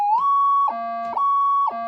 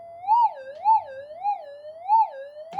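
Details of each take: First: Older Minelab pulse induction gold detector with upgraded multi-stage gain electronics, at massive gain: loud piercing tone flipping between high and low pitch about every half second; it still ground balances. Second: Older Minelab pulse induction gold detector with upgraded high-gain electronics, in normal mode, untuned, testing detection at no gain: warbling tone sweeping up and down about twice a second, then jumping between steady pitches as the target registers; normal response.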